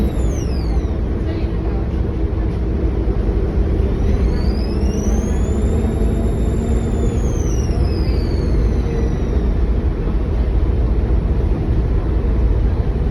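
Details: NXWM 2140 diesel bus pulling away: a shrill whistle climbs and falls over about five seconds above a steady diesel rumble. A strange turbo-like whine, source unconfirmed.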